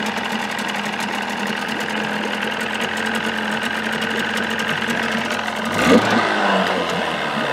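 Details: 1979 Evinrude 35hp two-stroke outboard, hood on with sound-deadening insulation, about 85 dB: steady, even drone at constant speed, no knocks or misses. Normal running.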